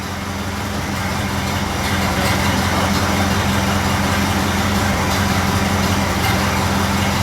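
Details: Model A Ford after exhaust manifold gasket replacement and a new battery, charging about 2 amps, idle being adjusted down: steady, unhurried low idle with regular beat, no ticks or exhaust puffing; running well.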